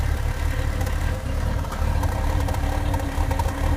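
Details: 1996 MGF 1.8 MPI with uneven, hunting idle, irregular stumbles and a brief dip despite new intake gasket, IACV, rotor, cap and HT leads; cause was the ECU vacuum pipe disconnected, fixed by reconnecting.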